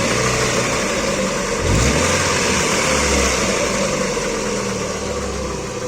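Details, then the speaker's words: Chevrolet (Aveo/Optra/Corsa type) that was idling too high, run with the TPS sensor unplugged: a brief throttle blip, then an even, stable idle with no surging. Problem traced to missing ECU ground connections at some pins. "y como podemos los celulares ralentí se encuentra muchísimo más estable ya no tenemos esas aceleraciones"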